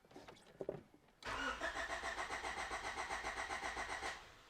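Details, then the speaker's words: 1989 Honda Prelude after original timing belt replacement, engine cranked with coil unplugged to circulate oil after sitting, in neutral: starter spins engine evenly, no clunks or scraping; cranking sounds healthy. "I also just want to crank it just so I can hear what's going on if I did something wrong it'll make itself pretty apparent"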